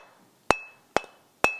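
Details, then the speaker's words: Ring test on the removed stone of a 250 mm variable-speed universal tool grinder, tapped with wood: three sharp taps, each with a clear sustained bell-like ring, no dull buzz; stone sound and uncracked. "sounds solid this sounds like a solid stone so this stone is good and ready to be used"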